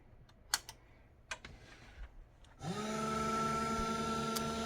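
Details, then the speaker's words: Slot car motor bench run at 3 volts with no load, drive band from spindle to idler to split pulley: after handling clicks it spins up to an even, steady whir with no knocks or rubbing, drawing about 2.5–2.75 amps; runs free. "So we can see that just running free, it's pulling about 2.5, 2 3/4 amps at 3 volts."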